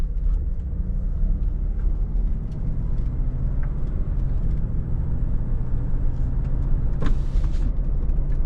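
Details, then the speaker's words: Cadillac DeVille on a test drive after front wheel bearing and hub replacement: steady road rumble with no hum rising with speed. Smooth, quiet, healthy wheel bearing. "Smooth as butter. Nice."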